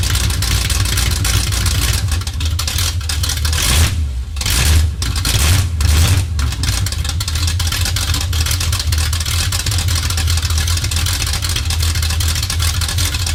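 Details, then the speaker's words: 1969 Chevy C20 small block V8 on open headers after bolt-on work: loud raw burble catching, revving up, then settling into steady even run; sounds healthy. "oh yeah hear that Campbell hey sorry Danny Garfield sounds freaking good yeah I mean I know open headers is ridiculous"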